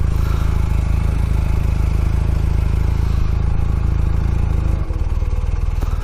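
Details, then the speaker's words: 1982 Honda CM450 twin, free bike unridden for about 10 years, being revived, on the choke while warming up: even, deep, quiet low thumping at a slightly raised idle with no knocks, misses or rattles. "start her up choker purr's like a kitten can barely hear it"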